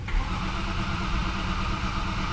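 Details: 2011 BMW 528i F10 with N52 engine: steady low churning from the starter turning the engine over with no firing. Crank no start, not from water intrusion; a terminal 15 circuit with a short-to-ground code is under diagnosis.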